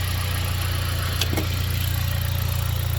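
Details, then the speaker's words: 2010 Dodge four-cylinder after replacing the failed ignition coil: an even, steady low idle with a regular beat and no misses, now running smooth on all cylinders. "see now yeah it's running smooth now"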